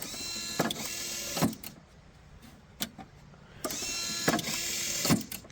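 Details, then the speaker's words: iDog tennis ball launcher restored with relay logic after its microprocessor burned out. With a 100 µF capacitor added so the relay latches, the cycle runs: a short motor whir, a sharp click, a timer delay, then it repeats with clean relay clicks. Working properly. "So now with the capacitor added in there, you can see the mechanism is working perfectly now. There's a timer here that gives a slight delay."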